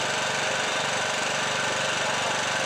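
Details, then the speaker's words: Yamakuyo small generator engine that would not start, running after repair and spark plug refit: fast, even beat without stumbling, normal running. "Nah, mesin hidup normal sudah di jos tadi sudah enggak ada masalah lagi."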